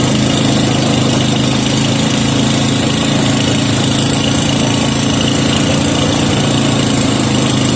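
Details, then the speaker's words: 5hp Briggs and Stratton with gear reduction, run to warm oil and engine after mixture adjustment and no-choke start: steady even constant-speed running, no misses or knocks; normal running. "all right so I let it run for a while to warm up the oil warm up the engine"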